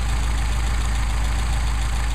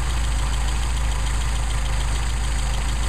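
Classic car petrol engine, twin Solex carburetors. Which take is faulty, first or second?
second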